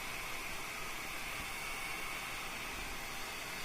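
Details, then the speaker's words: Fan driven by an Arduino and MOSFET at 50% duty PWM, 32 kHz, drawing about 540 mA: a soft, even airflow hiss with a faint steady high note. It runs fine and smoothly, and the PWM is inaudible. "32 kilohertz 540 milliamps and it's running fine"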